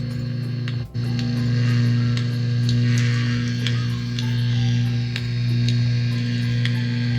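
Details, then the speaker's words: DOD FX7 guitar pedal on a replacement unregulated transformer power supply: steady low mains hum with buzzy overtones in overdrive or distortion, clean on the clean setting; hum blamed on the unregulated adapter. "i think the fault is the the power supply that they replace with it's a transformer power supply but it's not regulated so i think this is the problem"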